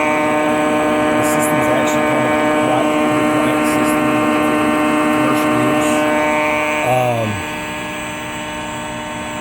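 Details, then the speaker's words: Pasmo S520FA floor-model frozen yogurt machine with air pump, switched into auto mode: pump and agitator kick in with a steady, even motor hum, no knocks or rattles, then wind down; normal running. "I'm going to put it into auto. You're going to hear the pump kick in and the agitator kick on."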